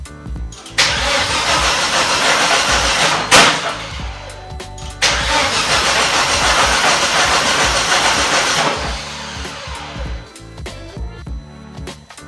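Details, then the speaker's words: Volvo S60 T5 front half cut off for an engine swap, wiring loom refitted, dash shows engine malfunction: strong, even cranking in two long bursts but it never catches; cranks, no start, fuel suspected (pump powered, a tank sensor destroyed). "Well, it says engine malfunction, but ooh, it turns over. Will it fire up?"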